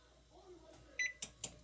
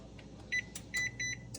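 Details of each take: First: GE range model PB950SF2SS after F20 repair, bake 350 selected: one short beep then crisp relay click with no double beep; oven responding normally. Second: GE range model PB950SF2SS that is not baking, broil started: short high double beeps right after start instead of one; F20 error pointing to a faulty oven temperature sensor (probe).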